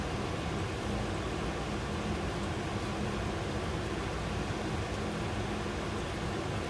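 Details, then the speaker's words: Rheem gas furnace in a humid, water-soaked install with failing control board, heat mode: steady even rush of air with soft low hum, no rattles or squeals; blower running normally on low (yellow) speed. "definitely a slower speed that's the yellow speed"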